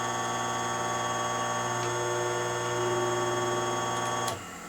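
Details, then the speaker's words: Worn motor bearings on a dumpster-salvaged industrial 30-inch pedestal fan, heard before the bearing replacement. The motor has a loud buzzing hum and a rough, uneven rattle as it spins. It likely overheated and cooked the grease out of its sealed bearings. Current draw was about 0.79 A on medium and 1.176 A on high. "can hear the motor is awful noisy and when this spins you can hear the bearings are not in the best shape"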